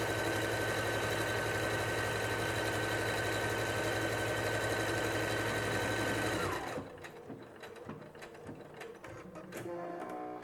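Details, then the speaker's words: Singer SE9185 sewing and embroidery machine sewing automatic buttonhole number 1: a fast, even stitching whir at about four stitches a second with a steady tone, then a clean stop and automatic thread cut. It sews normally. "E ela automaticamente já corta aqui a linha e veja só como que ficou a nossa casinha de botão, bem bonita."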